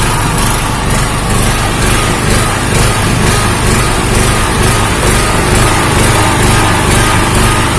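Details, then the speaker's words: Honda GX160-type engine on a 2000-watt generator, speed rising and falling in a slow rhythm instead of holding steady (governor hunting); still unchanged after checking the spark plug cap and changing the plug, cause not yet found. "masih belum ada perubahannya temen-temen di bagian gasnya naik-turun naik-turun"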